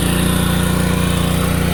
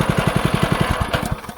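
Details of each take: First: DeWalt 3200psi 2.8gpm pressure washer with Honda GX200 engine, after carburetor clean for start-then-die and surging after a year's storage, running with choke and water hose attached: steady, even drone, no hunting or surging; normal running. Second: DeWalt 3200psi pressure washer with Honda GX200 engine, after carburetor cleaning following a year of sitting, running outside on water hose; quick even clatter of about eleven knocks a second over the engine from a loose handle, engine running nicely.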